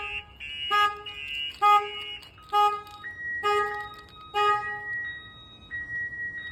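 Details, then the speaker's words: 2005 GMC 2500 HD diesel pickup with a newly installed Viper alarm. Door opened to trigger it, and both sirens go off, louder. Repeating electronic siren with tones stepping between pitches in loud bursts about once a second; alarm working as designed. "let's see if somebody was to open the door not only one silence [Music] so now it's even louder you can hear both of them going off"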